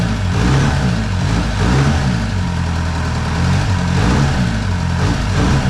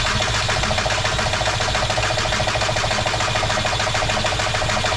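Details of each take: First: VW MK4 Golf TDI, ALH diesel with factory turbo, freshly swapped replacement engine, injection quantity around 5.25: steady diesel clatter with gentle rises and falls in revs, no knocks or rattles; healthy engine and turbo. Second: MK4 VW TDI with a replacement ALH diesel engine cranks with steady starter whine and even pulses but never fires. Injection quantity is stuck at 50 mg per stroke instead of about 4.5, and injection timing can't be set correctly.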